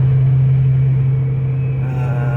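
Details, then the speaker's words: 2008 Chevrolet Silverado V8 with 203,000 miles, previously with an intermittent cylinder 6 misfire, now driving down the road. It gives a steady, deep drone with no stumbles or skips. There is no misfire, no flashing check engine light, and no traction or stability light. "right so we got her going down the road i don't have any misfire"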